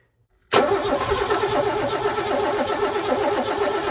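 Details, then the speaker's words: Mercedes W123 coupe, long-abandoned classic, cranking while testing a cleaned donor 280 E injector; even rhythmic cranking about three and a half seconds with no firing, since none of the six donor injectors worked. "okay that hasn't been entirely successful we tried all six injectors from the donor car and none of them work"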